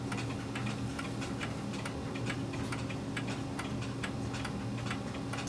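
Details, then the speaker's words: Pendulum clock after beat adjustment by bending the crutch: steady, evenly spaced tick and tock about two per second, clock now in beat. "okay that sounds pretty even to me what do you all think"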